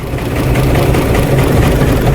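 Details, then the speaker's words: 2014 Chrysler Town & Country 3.6 V6 barely idling, cylinders 1, 3, 5 misfiring, 5 worst (P0300, P0305), rich trims, low vacuum; new plugs, coils, injectors didn't help; loud lumpy stumbling idle; misfire traced to faulty cam phaser. "the car is missing it's barely running it's barely idling one three and five misfiring and five is far worse"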